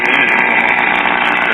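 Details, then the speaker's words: 1936 Grunow 564 tube AM radio with a harsh, steady raspy buzz and no program audible. The buzz is also heard on a neighbouring radio and persists with the Grunow off, so it is external interference traced to a nearby old RCA black-and-white TV. "we have another radio plugged in next to it and we're hearing the interference on it but not as bad as on the uh grile set"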